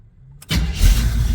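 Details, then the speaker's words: 1973 split-bumper Camaro V8, engine hot, in park, timing set by ear; brief crank then catches at once and settles into steady even idle; clean hot start, timing about right. "oh yeah start right up so that's in park"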